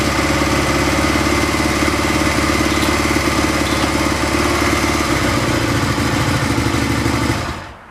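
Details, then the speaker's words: Craigslist Honda Twinstar running after about an hour of carb tuning, with the mixture richened at the pilot screw after lean running and fresh gas added, at 60°: a steady, even beat with no stumbling or popping, then a clean shutdown. Normal running. "okay it took about an hour to get it tuned up it looks like uh it's running pretty well weather today is 60°"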